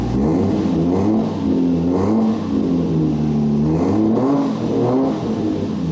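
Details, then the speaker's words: Supra idling in neutral after a rev: speed rises and sags about once a second in an uneven lope; air-fuel reading stuck at 14.7, sensor dead, likely destroyed by E85, to be replaced. "my air fuel ratio uh sensor it looks like it finally shut the bed so looks like it's time for a new sensor"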